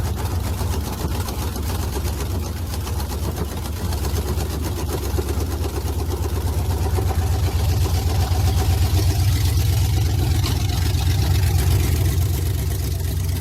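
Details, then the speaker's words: 1992 Chevy Silverado with a swapped 5.3 V8 on its first start: headers held by only two bolts each and no gaskets. Rough, ragged rumble with fast puffing about four beats a second; exhaust leaking at the header flanges. "Headers bolted up, just 2 bolts in each one. No gasket, so it's still gonna have some leaks, but it won't be as raggedy sounding as it was."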